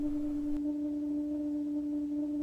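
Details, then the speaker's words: Outdoor water spigot making a steady, pure humming tone while water runs, worse inside the house; caused by a faulty vacuum breaker, and replacing it (about eight dollars) eliminates the noise. "if you change this vacuum breaker it would eliminate that noise it's not that hard and it cost about eight dollars problem fix"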